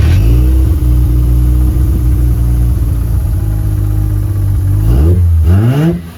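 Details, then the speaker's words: Mazda 13B rotary with Racing Beat intake and FiTech EFI in a Willys Jeep, hot restart at about 180 degrees just after the fan kicked on; catches, revs cleanly and settles smoothly with no stumble or misfire, normal hot start. "It's up to like 180. The fan just kicked on. I shut it off, so I'm going to show you a hot start."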